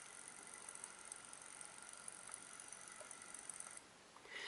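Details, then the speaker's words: iPhone 6 Plus (iOS 8.4, 64 GB) camera module making fast irregular clicking and a light buzz, image shaking and not focusing; faulty optical image stabilizer, fixed by Apple replacing the camera. "let me do it without uh I'm going to do it without talking so you can hear that camera actually clicking"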